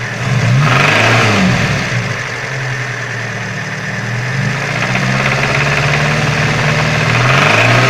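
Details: Engine knock: sharp, regular knock that rises with revs and is absent at idle; it persists after the broken chain guide was replaced, cause not found.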